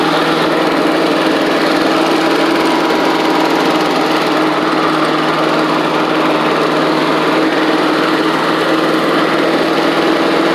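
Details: Old Australian-built Rover Turbothrust mower, with a working 12-volt generator: loud, steady high-pitched drone holding even speed with no misses or surging; healthy engine.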